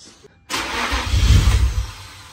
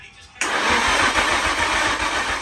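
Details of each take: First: Nissan Stagea NM35 at first start attempt after engine refit, timing checked: deep rumbling turnover swells for about a second and fades with no firing; cranks but won't start. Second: Nissan Stagea NM35 after engine refit, cranked without trying to start to build oil pressure: steady cranking rhythm for about five seconds, three to four even pulses a second, no firing; normal cranking.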